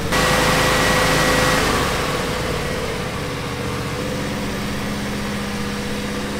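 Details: 2007 John Deere X300 with a twin-cylinder Kawasaki FH491V 17hp engine, after a carburetor fix for surging: the engine runs at an even, steady speed with no rise and fall; steady idle, no surging.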